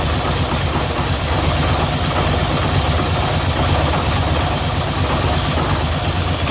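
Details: 2013 Polaris Sportsman 850 XP HO at idle: deep twin with uneven, loping beat and occasional stumbles; rough idle, code 520194-7 throttle stuck, TPS voltage won't set correctly despite new TPS, swapped throttle body and IAC, cleaned T-MAP; cause unknown.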